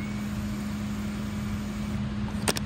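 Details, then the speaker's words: 2016 Harley-Davidson FLHP Police Electra Glide, 9,321 miles, sat untouched over a year with dead battery on a jump box: steady low hum with a short click at key-on, the fuel pump priming normally. "when you turn the ignition on you can hear the fuel pump engage"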